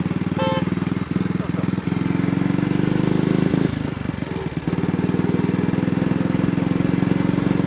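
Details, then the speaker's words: AJS single on the road after the carburettor slide was cleaned for a sticking throttle, plug looked fine: thumps along at slight throttle, dropping several firings in a few seconds; intermittent misfire, cause not found. "It only seems to be happening on a very slight throttle opening."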